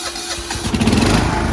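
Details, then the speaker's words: Classic Husqvarna lawn tractor, after rewiring the starter to the key switch with a direct battery feed to the light switch: brief cranking, then it catches and settles into a steady running note; clean start. "fired up now. Now I can use the key, but the only thing is the key doesn't always work, so to turn it off, I shut the lights off."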